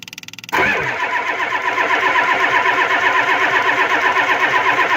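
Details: Ford 7.3 IDI diesel cold, glow plugs not used, after a heavy spray of WD-40 into the intake: starter churns at about four uneven beats a second and the engine never catches. WD-40 failed as a starting aid.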